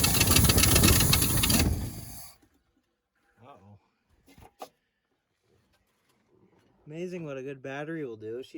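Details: 1971 Ford Highboy boom truck on a cold start at two below zero, after switching to a 950 cold-cranking-amp battery: fires on the first try and settles into a steady, even rumble with no stumble; normal cold start and idle.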